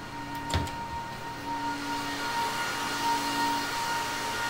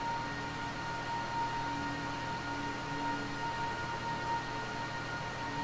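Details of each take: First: HP ProLiant server (possibly GL360 G7) in a rack: steady high whine and lower drone over rushing fan air, louder since yesterday; amber light flashing, panel reports fan number five failing; fan to be replaced. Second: HP ProLiant server (owner guesses GL360 G7) in a rack, with a loud fan that is being replaced: steady high fan whine drops in pitch and fades as the fans spin down on shutdown, leaving the normal quieter hum.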